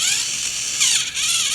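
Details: Thomas & Friends Trackmaster toy train motor test after gear replacement (gears trimmed to fit) and new rubber tires: high, steady whirring of a small geared motor running evenly, no clicking or skipping.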